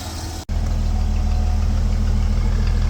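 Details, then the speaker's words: 1977 Ford F150 Custom pickup, 300-6 4.9L inline-six, fresh startup with air cleaner off and a little smoke: low, steady, even rumble with no knocks or misses; normal smooth, quiet six-cylinder idle. "Fresh startup, just a little bit of smoke. Just sitting there nice and quiet as could be."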